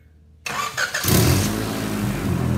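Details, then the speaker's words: 1992 Honda Accord, about 250,000 miles, recorded underneath: engine starts and idles with raspy puffing rumble from exhaust escaping through a flex pipe whose metal mesh is gone; fix is replacing the flex pipe. "as you hear this thing underneath you can actually hear where it's leaking right here"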